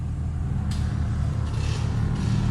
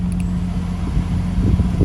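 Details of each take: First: 1996 Lexus GS300 heater/AC blower motor on speed four: loud, steady low drone with a rough wobble that shakes the whole dash, while airflow stays weak. The blower motor is being replaced. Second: 1996 Lexus GS300 heater/AC blower motor, just replaced with a junkyard unit, AC on: soft, steady low hum with airflow rush, no squeal or rattle, quiet and blowing cold; normal running after replacement.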